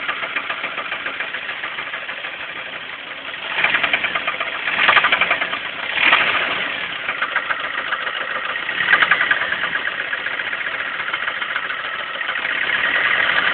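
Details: Pontiac Sunfire that failed on the drive home: steady idle with a loose, uneven tapping about three per second running through it; internal engine knock, cause unknown.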